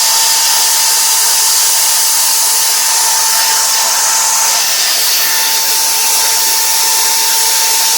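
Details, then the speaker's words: Power drill running after its squealing brushes were removed, sanded and refitted: smooth steady high-pitched motor whir with no squeal or chatter; normal running. "doesn't make that uh noise anymore really from what I can tell Works a heck of a lot better wow"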